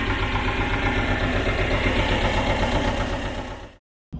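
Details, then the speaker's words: Belarus 250AS tractor, two-cylinder air-cooled high-compression diesel, 12 volt, after fitting 3/0 battery cables to cure hard starting: even clatter about four beats a second, steady until shut off; normal idle. "the tractor started way easier with the large battery cables, and given these cables are really large, but we have had similar issues with tractors before, especially if you're running 6 volt."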